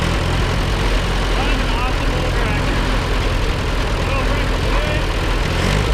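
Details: Allis Chalmers WD narrow-front row-crop tractor, seized that morning and freed up after sitting in the bush: loud, deep, lumpy idle, not smooth; runs but has bugs, tune-up planned.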